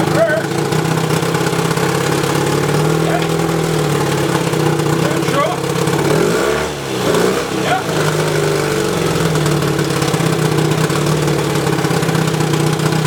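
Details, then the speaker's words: 1972 Evinrude 18 HP outboard revived after over a decade idle, 130 psi per cylinder, new points and condensers, cleaned carburetor two turns out, throttle by hand: steady even two-stroke drone with one brief dip; runs healthy, though not peeing water yet. "wakey wakey mr. 18 good compression good spark good fuel flow means boom she's just smoking"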